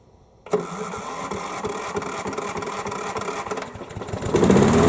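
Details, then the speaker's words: Craftsman riding mower (model 917374455) that would not start, key-started after sitting with fresh fuel added. The starter cranks briefly, then it catches and settles into a steady, even run, starting and running normally. The battery seems to need charging. "alright guys there it is it seems like it's gonna work just fine it's certainly fired right up"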